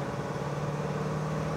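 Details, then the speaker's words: 1965 Chevrolet Malibu SS, Muncie four-speed, road test in 4th gear on acceleration and coasting: steady engine and driveline drone with road hum, no gear whine; noise previously caused by too much play, fixed with shims. "acceleration no noise coasting no noise we got it all right too much in play caused that noise"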